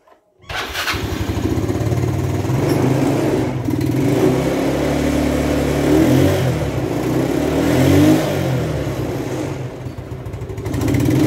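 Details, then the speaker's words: Yamaha Mio scooter that died suddenly while riding: after oil was poured into the cylinder to aid compression and the spark plug refitted, it cranks, starts within half a second and revs cleanly on throttle blips; some exhaust smoke is expected. "nah oke sudah nyala ya"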